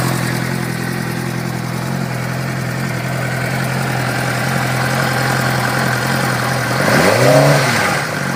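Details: 2006 Suzuki GSX-R 600 inline-four with a light, fast tick steady over idle and rising with throttle blips; source of ticking unknown.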